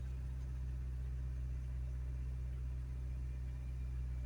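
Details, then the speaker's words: Car started after sitting 7 months with its battery on a minder: it ran rough at first, then smoothed out to a steady, even low rumble with no misses or knocks; normal warm idle. "That's better. Smoothing out."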